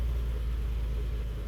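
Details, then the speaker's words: 1954 Nash Airflyte with an exhaust heat choke, cold morning start, foot just off the gas: deep, low rumble with slight unevenness as the cold engine warms up and barely holds idle. "Okay, I think it's going to idle. Yes, it is idling. Barely. Oh, baby, that makes me happy."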